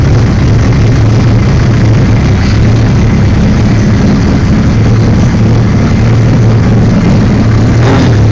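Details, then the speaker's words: 1978 Suzuki GS1000 with Magnum turbo kit: deep, loud, even rumble holding steady with no misses, knocks or rattles; normal running. "I'll go ahead and try to start it for you real quick so you can hear it run"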